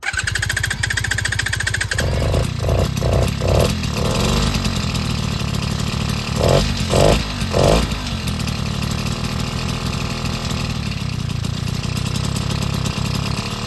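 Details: BT80 two-stroke engine kit on a motorized bicycle, first start after final electrical wiring: it catches, revs in a few quick blips, then settles into an even, steady putter; a normal, healthy first start and run.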